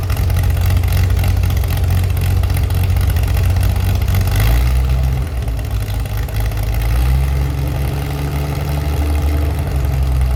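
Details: Chevy SS under restoration, engine restarted after the owner lowered the fuel level to fix a mistake; it has a non-original cam. Steady deep idle with clean rise and recovery when the throttle is blipped: smooth, responsive, healthy.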